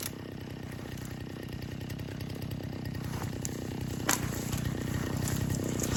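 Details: Vintage 1960s Stihl 08S chainsaw, close to 60 cc, with chain brake, cutting dead ash firewood: steady low two-stroke drone building smoothly into the cut, no misses or rattles; lots of torque, runs good, normal running.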